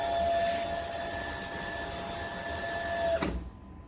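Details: Household water pump after the water-hammer fix: pump hums at a steady pitch with no banging in the pipes, then shuts off cleanly without a hammer knock; normal pump operation.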